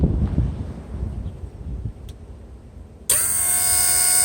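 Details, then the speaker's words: Mercedes W140 door soft-close assist pump tested with engine off: after a dull rumble the pump cuts in with a steady even whir, spinning slightly slower due to lower voltage; normal, works fine. "When the engine is off, just shut the car off. Pump is going to spin a little slower because again of the voltage."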